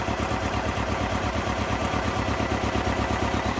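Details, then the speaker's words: Chevrolet Cobalt with 180 (thousand) miles, smoking black at start-up: idle pulses with a lumpy, loping beat about three times a second and the engine shakes; misfire. "Smoking on a, what you call it? Black. Got a misfire. Hear it."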